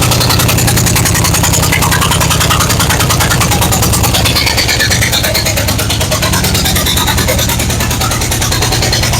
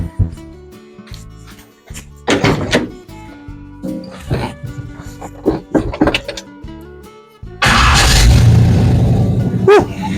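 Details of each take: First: 1970 Chevy C10 with 5.7 Vortec 350 from 1998 van and 700R4: loud uneven V8 idle with sharp chuffing, one cylinder dead from a forgotten spark plug blowing out the hole, sounding like an exhaust leak. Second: 1970 Chevy C10 with a 5.7 350 Vortec from a 1998 Chevy van and a 700R4: after refitting the missing spark plug, the V8 starts and settles into a steady, even idle on all eight cylinders, no misfire.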